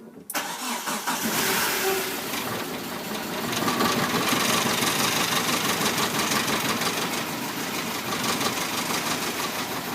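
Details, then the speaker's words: Rare 1997 Hyundai Coupe SFX, first start in 10 years after an overheat, following a new seal, timing belt, tensioners and water pump. Starter whirrs, it catches and idles slightly rough, then smooths out, running nicely on restart. Normal start and idle. "we turned the key in first time it started up and it just ran a little bit rough but then we stopped it turned it back on again and it ran really nicely"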